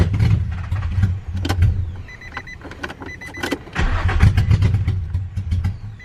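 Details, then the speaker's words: Nissan 350Z first start after a new engine, with a fresh battery, intake refitted and MAF plugged in: the engine fires and runs unevenly for about two seconds, sags, nearly dies, then catches briefly. Starts then stalls. "well she started but hopefully she stays starting"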